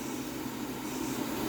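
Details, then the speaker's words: Return fuel system venturi siphon tube bench test with pump regulated to 40: steady even airy hiss over a low pump drone, no sputter; siphon drawing vacuum normally. "i can hear the vacuum let's put her in the jar and see what she does"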